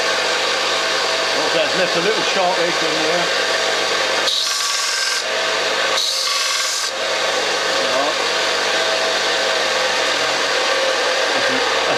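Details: New replacement Parkside bench grinder with sanding belt, first test sanding wood: steady dry rasping of belt on wood over an even motor drone, no rattle or knock; normal running under load.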